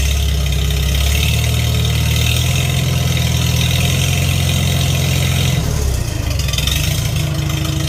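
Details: Farmall 300 Row Crop tractor, sat a while, test run after carburetor cleaning, started on choke: steady even low chug at idle, no misses, knocks or surging; running smoothly, floats shutting off well.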